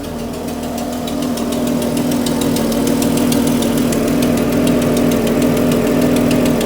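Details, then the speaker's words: 1980s Jaguar original engine, last run before swap: rough idle with sharp puffing ticks about three per second like gas escaping; owner suspects an external head gasket leak, not by the exhaust. "I think we actually have part of the head gasket blowing out on the side I don't think that's an exhaust leag I think that's has a head gasket Le an external"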